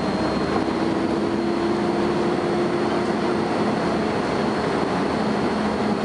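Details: First Manchester Volvo B10BLE bus 60403 (S670SVU), recorded 30 May 2011: a thin, steady high whistle over the running drone, with a lower tone joining briefly; strange high-pitched whine, source unclear.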